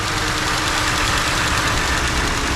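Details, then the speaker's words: Ford F150 2.7 EcoBoost twin-turbo after fuel injector replacement, still running rich and burning off smoke: smooth, even, settled idle with no misfire stumble or ticking; running properly. "Sounds good. It's running smooth. I mean, really smooth. You could bounce a dime on the top of that engine."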